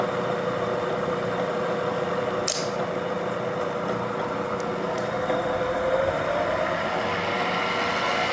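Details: Bridgeport vertical milling machine head running in direct drive after one-shot lube added; steady, even mid-pitched hum with no knocks or grinding; spindle runs smoothly and sounds healthy.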